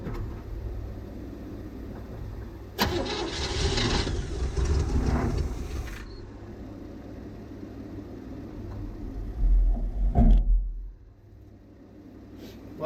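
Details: Hard-to-start one-owner '72 Chevrolet C10 Cheyenne shop truck on ether: steady low cranking with one short burst where it catches and roars, then stalls again, consistent with fuel starvation; timing slightly off and being adjusted.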